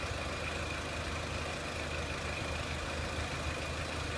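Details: 2003 Renault Clio 1.6 petrol, intermittent stalling traced to loose crank sensor connector (sensor good), crank sensor being scope-tested; quiet even idle with steady low hum, no misses, knocks or hunting; normal idle.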